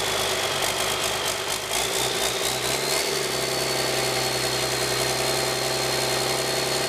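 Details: 1997 Cummins 5.9 12-valve P7100 P-pump diesel, 960,000 km, out of a truck and barely known history, cold start at half throttle after cracking lines showing six injectors spraying: rough uneven start with scattered knocks settling into steady clattering idle; hard starting.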